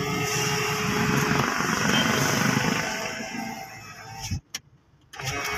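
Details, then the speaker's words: Ford Everest power window after replacing the regulator gear, door panel closed to check for noise: steady, strong motor whir for about four seconds as the window moves, then a clean stop, no clicking or rattling; normal operation. "Tapos guys, yung motor niya maganda pa kasi napakalakas pa. Malakas pa siyang tumaas baba. Yan. Walang guys, walang kakalakalampag."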